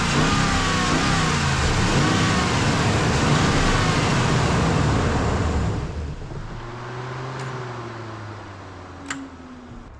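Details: Dodge Ram 2500 with a corroded TIPM, heard while the TIPM is wiggled with the engine running. It runs strong for about six seconds, then abruptly drops to a faint uneven whirr as security lights flash. Engine cutting out; a TIPM plug is suspected.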